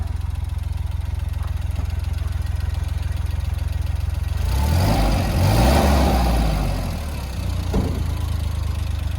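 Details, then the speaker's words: 1993 Suzuki Jimny after fixing fuel and air starvation (turbo wasn't spooling, struggled on hills): even idle then quick clean rev that picks up promptly and settles smoothly; much quicker throttle response now. "It's a lot quicker now. More throttle response. Yeah, it's not starving for fuel and air."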